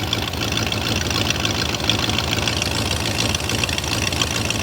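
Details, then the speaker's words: 2000 BMW E39 540i M62B44TU V8 after sitting with half-finished timing job, checked with stethoscope: steady idle with sharp rapid ticking puff about three per second; exhaust manifold leak, not internal engine noise. "no dude that's that is 100% exhaust related cuz there is no engine noise inside the engine that actually sounds bad at all"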